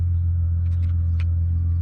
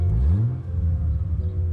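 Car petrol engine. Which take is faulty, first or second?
second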